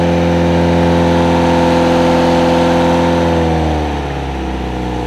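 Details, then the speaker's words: Project car engine after fresh start, previously over-enriched and possibly misfiring: smooth, even engine note with a steady beat settling as revs drop, no misfire or knock; now running properly. "oh that sounds better oh God why does it sound so smooth I'm not questioning it it's good"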